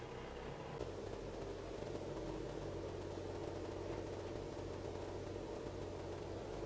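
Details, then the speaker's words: Mitsubishi Triton diesel idling warm (coolant 87°C, within its 80–90 range) during an injector small-quantity relearn, stepping through the cylinders while rpm, fuel pressure and injection timing change; a soft idle whose tone shifts, which is normal. "when you first hear this it sounds kind of weird and you think something's wrong but it's all part of the process all part of the learning process"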